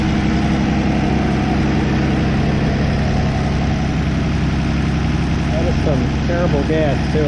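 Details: 1964 Plymouth Belvedere slant six, three-on-the-tree, sat about 20 years: steady, even low idle with no misses or stumbles; normal idle.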